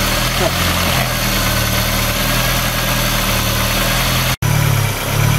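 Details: VW Golf after an engine wash went wrong: idle wanders and surges unevenly with a brief dropout, the engine hunting because the ignition leads are wet and it is flooded.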